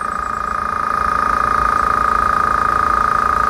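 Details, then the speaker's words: Small no-name air compressor nearly full after about 50 seconds of filling, getting slightly louder as pressure builds: even piston pulse about four per second under a steady high hum; normal running. "and you can tell when it's about full cuz it gets just a little bit louder"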